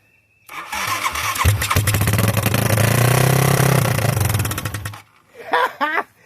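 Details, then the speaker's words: 1986 Yamaha YFM Moto4 200 single-cylinder ATV engine, first start after a new cylinder, piston and rings, no muffler, needing adjustments: catches quickly and runs loud and raspy, firing steadily with no knocking before shutting off; running normally after the rebuild. "I got a lot of adjustments and to do, but look at that. The piece of runs. Would you look at that? And no rings blew."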